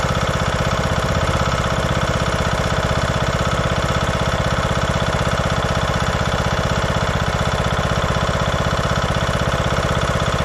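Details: 2014 Craftsman T1600 lawn tractor, Briggs & Stratton single-cylinder, after bypassing the broken blade safety switch: steady, even idle putter around four beats a second with no misses or knocks; runs smoothly.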